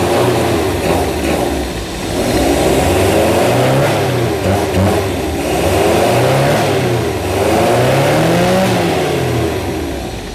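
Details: Zebra 1.3 carbureted petrol car engine, hard to start, surging up and down at a fast idle in slow waves; idle set too high, idle screw turned down; carburetor float needle set too tight and glue clogging inside suspected.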